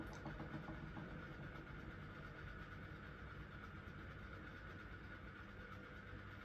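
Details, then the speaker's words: QFlow 2.5kg compact RV/caravan/boat washer, spin phase running from about 500, then 400 or 300, up to 700 rpm; soft, steady hum with faint even tone, no knocking or grinding; normal quiet spin. "so does a little 500 does that little bit of sort of 400 or 300 and then zooms up to 700. and they're good long hunter spins as well so you know that they're getting a decent rinse"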